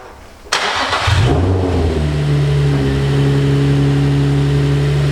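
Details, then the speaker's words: Nissan 350Z start after repair work with a suspected misfire: catches after short crank and settles into loud but even steady idle, no misfire heard; to be checked further from cold start. "so it starts that's a good sign for the back of the car itself for the misfire doesn't sound like a misfire it's very loud"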